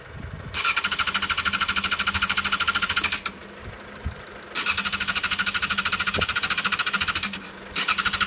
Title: Yzf600r wont start